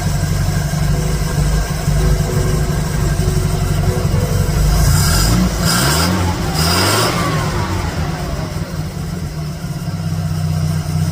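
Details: 1951 Dodge Wayfarer 230ci flathead with Gyromatic, rebuilt Stromberg BXVES-3 carb, idle adjusted up to about 450 rpm: slow steady low idle with an even rumble and a brief blip midway, settling back smoothly without stumble or miss.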